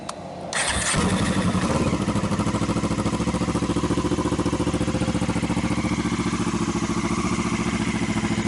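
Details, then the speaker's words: Motorbike with engine case refitted using silicone sealant as gasket, wet rainy day: quick crank, catches cleanly, settles into even steady idle thump about 3.5 beats/s; no leaks, healthy normal start and idle. "No leaks, no engine problems, no nothing, just a case that fits and works."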